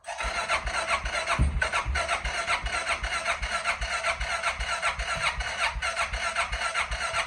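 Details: 2005 Suzuki King Quad 700 ATV: long, even starter churn at about two and a half beats per second, cranking on and on without firing; hard starting.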